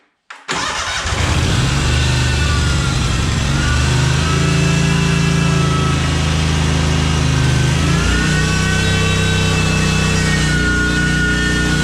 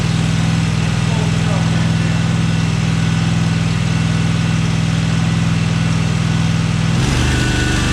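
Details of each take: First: Cub Cadet 1864 lawn tractor, Kohler Command 18 engine, after fuel system cleaning and repair. Started on full choke with a little throttle, it cranks briefly, catches cleanly and settles into a steady even run. The fix worked. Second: Cub Cadet 1864 lawn tractor (possibly 1994), 671 hours. It won't run at full throttle; a low lumpy idle holds only on full choke with throttle down, then stumbles away. A clogged carburetor is suspected.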